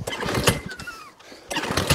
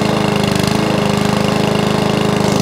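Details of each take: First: Job-lot lawn mower, pull-start; rattly compression puffs on each pull but never fires, doesn't sound right; cranking, no start. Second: Mower started on carburettor spray after removing the air box; single cylinder fires steadily at an even beat about eight seconds then dies away, runs well; may need carb clean and service.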